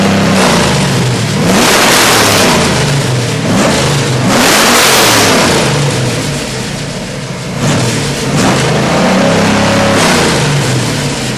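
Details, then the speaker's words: Freshly built 427W Ford V8 (538 hp street crate engine) for an AC Cobra: a deep, strong V8 swells up and back down through repeated blips with a clean, even beat; normal engine revving. "The engine ran absolutely perfect. We're going to start it up for you and show you how nice it runs."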